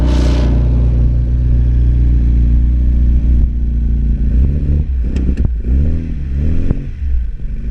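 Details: Classic Mini RX spare engine after fresh oil, filter, water and fuel, seized clutch arm investigated: uneven, lumpy clattery running wavering with revs, popping and smelling bad; owner suspects fuelling set for a bigger engine, cause unconfirmed.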